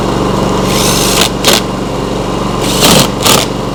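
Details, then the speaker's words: Briggs & Stratton P3000 generator after fuel pump replacement and tune-up, on premium ethanol-free fuel: small engine keeps an even, steady beat; runs smoothly and normally. "Well, that sounds really nice. Just make sure there's no leaks by the carburetor or anything."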